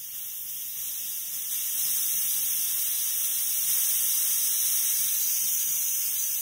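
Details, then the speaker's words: Seiko SKX007 with sapphire crystal, new seals, SARB059 crown and aftermarket caseback taped with 3M, under an 11-bar pressure test in water: a steady sharp hiss of escaping air means it fails, leaking from the caseback's machined opening recess, not the seal. "So there's pressurised air in the case, it's now immersed into water, and I will release the presser using this valve here at the top. Now, you'll hear a hissing."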